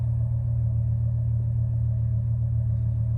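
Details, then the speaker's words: 2002 Chevy Silverado 1500 right after a fuel pump replacement, previously showing a P0300 multiple misfire code; it fired right up and idles with a smooth, steady low rumble and even beat, no leaks and no codes. "All right, let's try it out. Fired right up nicely. No leaks. I can hear it."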